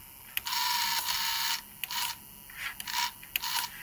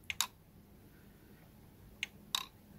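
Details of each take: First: Pioneer PD-S503 CD player, newly arrived, not playing (spindle stands still, only clicking): short high-pitched motor whirs start and stop in bursts as the pickup sled carriage moves forward and reverse; carriage drive working normally. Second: Pioneer PD-S503 CD player, newly arrived: disc spins freely by hand, spindle motor not locked, yet pressing play gives a few sharp mechanical clicks with no motor hum; disc not spinning up.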